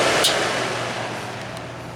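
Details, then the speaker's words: Dr Infrared DR988 5600W portable heater, two years old, after replacing the rear motor piece holding the fan armature: smooth, even whoosh of air with no metallic screech as it winds down; the fan seems to be working fine. "it seems to be working fine right now."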